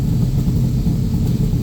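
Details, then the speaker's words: Backdraft Cobra 427 V8 on Holley EFI after timing and idle adjustment, warm idle: deep steady rumble with slight lean puff from one exhaust side, which faded as idle dropped to about 1423. "lean puff you can hear out this side here. So now we're down 1423 and that little puff kind of went away now."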